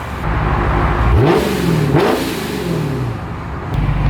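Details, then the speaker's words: Procharger-supercharged Scat Pack V8 after its tune fix, revved from a slightly rumbly idle: pitch climbs and falls smoothly through two quick blips with a steady whir, no misses or knocks; normal. "it's idling pretty smoothly it's a little rumbly but I I I think that's pretty much the way it was stocked cuz you know stock these things don't idle like super smooth"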